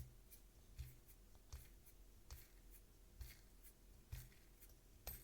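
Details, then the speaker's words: Ming Yang W300 spinning reel after fixing its hum by shimming the cover against the frame (four folded paper stickers, washers on the blue bushings advised), cranked slowly: almost silent, soft tick about once a second, practically ideal. "еле слышно но я бы сказал что уже практически идеально тихенько"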